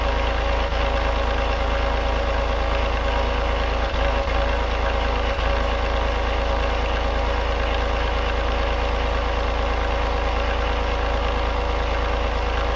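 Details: Denyo DCA-15SS-N genset, 1.6 L 3-cylinder Nissan diesel (18 PS at 1500 rpm), over 30 years old, cold just after first start in years, smoking a little: even low chug at about three beats a second, no knocking; normal idle, no load.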